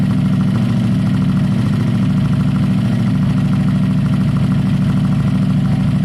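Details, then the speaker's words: Motorcycle with aftermarket fins and Heinz exhaust, very loud: deep even burble at idle with steady low pulses, rough edge only from the open exhaust; normal idle. "this bike has the fins and heinz exhaust it's loud so so loud"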